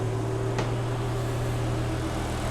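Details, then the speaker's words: BMW E92 M3 with swapped S85 V10, MaxxECU and DCT gearbox, first start after remote mapping; cold, just started, before warm-up. Steady, low, even drone with no stumbles or cut-outs; diesel-like rattle is only the camera. Normal smooth idle. "a smooth running engine. For some reason on camera it does sound like a rattly old diesel, but it's definitely not, I can assure you."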